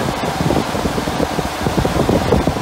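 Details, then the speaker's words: UTV cab cooling fan on PWM speed controller running on high: loud, steady rush of air with fast, even flutter, no rattle or scrape; normal fan operation. "but i'll show you what this thing will do on high i mean it's really really putting out the air"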